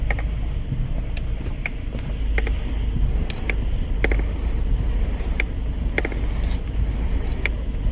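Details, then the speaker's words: Mercedes-Benz GLE at idle, steering wheel turned while stationary: sharp, irregular clicks and creaks a few times a second from a faulty steering column module, fixed by replacing and programming the module. "听着是转向柱模块传出来的声音，需要更换转向柱模块，"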